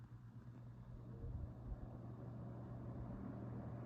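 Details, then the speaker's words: 1970s Super 12-inch box fan before restoration, started on low speed: quiet, smooth, deep low hum at an even pitch with no rattles or scraping, well balanced; normal running. "and this is a beautifully running fan got a nice little startup sound too now this despite this being a relatively small box fan it sounds like a much larger fan it's got a nice a full and deep Rumble to it as it runs which is very pleasing to the ears"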